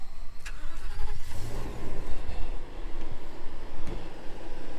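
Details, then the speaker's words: 2015 Ford F-550 4x4 crane service truck, V10 gas engine: starts right away, no glow-plug wait, and settles into a steady even run with no stumble; healthy start. "Boy, these V10s, they just don't give you any trouble."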